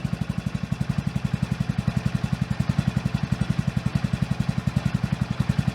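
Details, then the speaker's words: Honda Grom single with high-compression piston and high-lift cam fitted, at idle: sharp, evenly spaced knocks about four per second, hard mechanical knock from inside the engine, heard before tappet clearance adjustment; cause unconfirmed. "とその前に、イオンのおさらい。エンジン音の中に、打撃音が聞こえると思います。"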